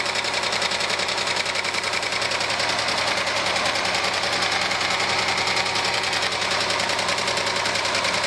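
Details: 1997 Argentine Renault Clio engine, valves already adjusted: quick, even light metallic clatter about two and a half taps per second; one mechanic says piston skirt slap needing a rebuild, others blamed clogged oil breather or oil galleries; unconfirmed.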